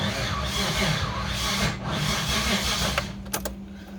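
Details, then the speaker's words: 1989 Dodge Raider 3.0 V6 (Mitsubishi 6G72) cranks steadily with uneven rasping rhythm but never fires; sounds to owner like it turns backward or is 180 out, though timing checked correct; owner wonders if new lifters soaked in oil but not bled cause it. "mean, to me it sounds like it's trying to go backward, like it's 180 out."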